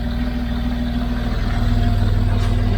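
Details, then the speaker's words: 2006 Land Rover Discovery 3 TDV6 2.7L diesel on first start after rebuild, with no coolant and parts loose. Lumpy, uneven chugging with rattles; crankshaft position sensor circuit range/performance fault logged. "not running very very good yeah because everything is loose and rattling and whatnot let me see if it collected a fault indeed we got a crankshaft position sensor a circuit range performance fault"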